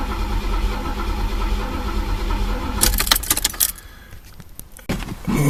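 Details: Chevy El Camino, sat about a month and a half, cranks evenly for about three seconds, then keys rattle; never catches because the tank was out of gas while the broken gas gauge read full.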